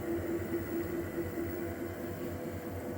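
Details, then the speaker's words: UREVO SP1 Lite treadmill, about 6 months old, suddenly developed a dull internal thumping, about two beats a second over a steady hum, felt as vibration underfoot; at low speed (clearest around 1.8 mph); owner believes it is too fast to be the belt. "I'm going to up the speed and see if the bumping gets easier to hear in this video so there maybe that's a good combination where the speed of the treadmill isn't too loud and you can hear kind of that thumping or vibrating"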